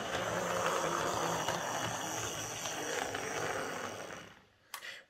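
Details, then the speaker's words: Tri-ang R52 Jinty 0-6-0 tank model locomotive that no longer ran, after repair, running on the layout: even, light whirring buzz from motor and gears for four seconds, quieter than expected. Normal running after repair. "running much much better than i expected it to i'm very pleased with that that's uh for an old triangenti that's running exceptionally well"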